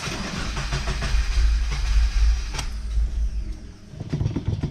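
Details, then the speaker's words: Subaru FA20DIT engine, fuel pump fuse pulled to depressurize the fuel line before walnut blasting and TGV/EGR deletes: starter churns in quick even pulses, briefly catching on leftover fuel, then spins down without firing; cranking without starting. "in the diy it also mentioned to give it uh a good few cranks to make sure it doesn't you know crank over see there we go so it actually cranked over there"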